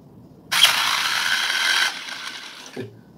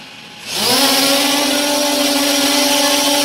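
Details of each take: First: JJRC X17 drone after an apparent crash, motor lacking power: short, harsh, rasping whir as it spins up; physical fault, dirt inside the motor. Grinding motor. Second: Restored JJRC X17 drone in flight after repair: four motors spool up into a steady, even high buzz holding pitch; healthy. Normal drone motors in flight.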